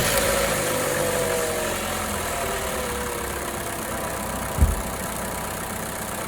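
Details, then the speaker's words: 2014 Opel Corsa D 1.4 at idle: uneven idle with RPM fluctuation and a sharp click and stumble; cylinder 4 coil pack high voltage arcing to the engine block instead of the spark plug, causing misfire; coil pack replaced. "Did you see how the engine vibrated when we heard that click? And here it is again. Now that is typically the telltale sign of high voltage from the coil, there it is again, that instead of going to the spark plug is escaping to some other place."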